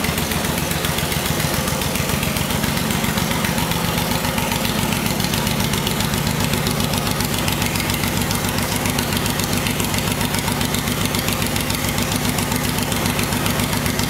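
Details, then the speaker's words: 2006 Suzuki Boulevard M109R (VZR1800) V-twin, 19,641 miles, front-end crash damage but engine intact, started from the solenoid: steady even lumpy but regular idle with no knocks or rattles, normal healthy idle. "other than that the bike seems to just run and run and operate just fine we're going to start it up let it idle and then put it through all of its gears so you can see it for yourself"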